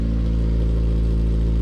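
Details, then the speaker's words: Honda EM2 Civic with swapped K-series engine, running after new shift cables and exhaust; briefly suspected exhaust leak turned out quiet. Smooth, even fast idle with a deep drone, no knocks or misses: the K-series high idle. Normal high idle. "definitely sounds like a vibrant it's got that K series high idle but"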